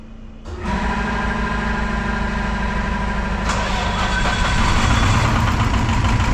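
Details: Detroit 4-53T turbo two-stroke diesel, 9G90 injectors, about 30 miles on them, modulator off for full rack, on diesel: fires into rough uneven lumpy clatter; number two injector (coldest on IR gun) confirmed not firing by screwdriver isolation, low fuel pressure suspected.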